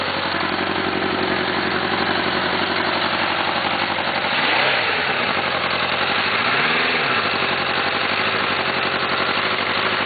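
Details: First-gen oil-cooled Suzuki GSX-R four after hydrolock bent cylinder 1 rod: rough uneven knock under exhaust note at idle, rising with throttle blips; rebuilt with another rod.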